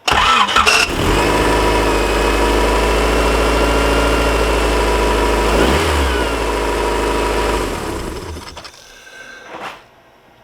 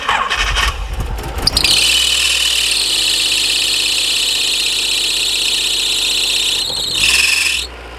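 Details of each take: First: Petrol engine starts and runs steadily with no belt squeal, then shuts off; the squeal was fixed after the alternator belt, which had sat on the wrong pulley grooves, was refitted and tensioned along with the power steering belt. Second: Engine with power steering and alternator belts, a loud steady high-pitched squeal starting at start-up over idle despite belt dressing; owner's lead suspect is the power steering belt, removed next to diagnose.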